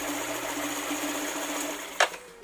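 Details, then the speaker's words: Bored-up Yamaha NMAX that had a rough, noisy CVT, after the bushing was reinstalled and oil refilled: a steady, even idle hum with no knock or rattle, then a click at shut-off; the noise is gone. "Suara bisingnya udah hilang, jadi emang ininya yang bunyi, yang lain nggak ada masalah."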